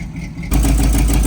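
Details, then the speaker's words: Old Chevy square-body barn-find with headers, likely cam, after sitting for years: lumpy idle with fast sharp puffing tick, slightly smoky; exhaust leak at header, gasket ordered. "And I can see it's an exhaust leak coming from the header there. Got a gasket ordered for that."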